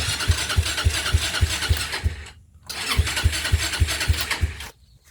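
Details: Used TrailMaster 300 XRS go-kart, carburetor cleaned after sitting, choke reconnected, before carburetor adjustment: slow regular putting about three and a half beats a second, twice briefly dropping out; idle too low, nearly stalling.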